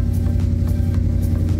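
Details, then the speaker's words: Coyote-swapped Ford F150 after HP Tuners remote tune: low, even idle with steady hum and soft pulses, no hunting; RPM no longer drops right after start, now slowly settling like a normal truck. "when we start our truck within the first few seconds our RPM drops yep. It didn't do that. It's slowly dropping now. Now it's doing exactly what a normal truck should do"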